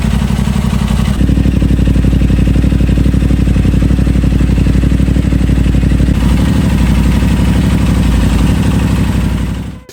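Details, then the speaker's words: Crash-damaged 2023 Aprilia RS660 during rebuild, first start since acquired, coolant just added, confirming engine health: crisp, regular beat of about four pulses a second that steps up slightly and holds even; clean, normal idle. "But there's no way to know 100% without actually hearing it start up and letting it run, which it just did."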